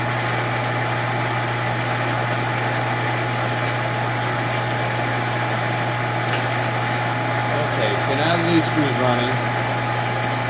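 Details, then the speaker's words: Monarch 10EE lathe after refurb, open belt, in threading gear: steady motor hum under faint uneven rattle, roughly four beats a second, from the gearbox area; worn gear or bearing suspected, not confirmed. "all right guys one more time so i definitely hear a lot of rattling around in here"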